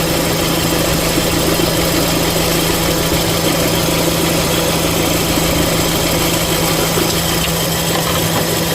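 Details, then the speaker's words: 2013 Renault Fluence, M4R engine, at idle: constant hum with rough rushing noise from the belt; pushing the tensioner down with a wrench stops the noise, identifying a worn belt tensioner, to be replaced along with the 6PK 1218 belt. "aí eu vim aqui caii a chave empurrei para baixo barulho parou assim identificado o problema no tensor a gente vai trocar o tensor"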